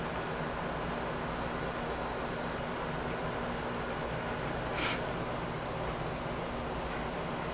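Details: Steady airy fan rush with low even hum, no rattle, during boot of a free Compaq desktop; fans quiet down after boot, hard drives (health 40–50%) noisy and spinning audibly.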